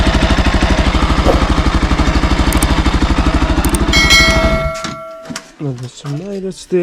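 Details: Bajaj NS200 single at 12,000 km with an engine noise problem, at idle. A fast, even ticking clatter of about three knocks a second sits on top of the engine beat. The source can't be pinned down.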